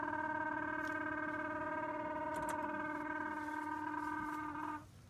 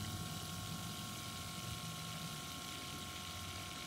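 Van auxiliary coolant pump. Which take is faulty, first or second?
first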